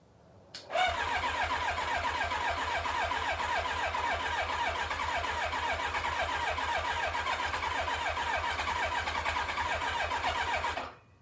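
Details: 1990 Kawasaki Ninja ZX-7 stored for years, cranked with carburetors removed and carb cleaner sprayed in: starter spins steadily about ten seconds, picks up slightly but never catches; won't start without carbs.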